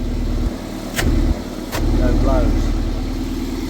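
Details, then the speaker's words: Toyota MR2 with VVT-i engine after temporary exhaust repair with catalytic converter refitted: after a couple of knocks, settles into a steady even idle, much quieter, no chuffing; normal idle, blow solved. "we'll let's fire up so sounding much better already much quieter much better"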